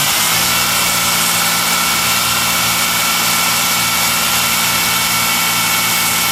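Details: Engine at a steady, slightly raised fast idle with a constant airy hiss and faint high whistle from a vacuum leak, checked by working back and forth along a hose.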